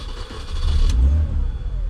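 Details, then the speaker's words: $400 Copart Mini Cooper, owner suspects old fuel or a failing fuel check valve. It cranks, catches and revs up within a second, then settles, but only after the fuel pump is cycled to pressurize the line. Hard starting, cause unconfirmed. "right that's really not that bad guys so I think we might have in the check valve because it seems like once I pressurize the fuel line it doesn't have an issue"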